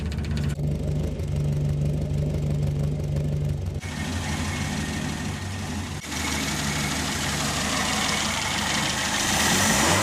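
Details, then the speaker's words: Ford Escort Mk2 after carburettor and fuel pressure regulator rebuild, lid snugged down for test: pressure regulator full and filling the carb, steady smooth even idle with no misses or leaks; normal idle. "yeah so the pressure regulators full up now and that will be filling up the carburetor now there seems to be running pretty smooth no leaks"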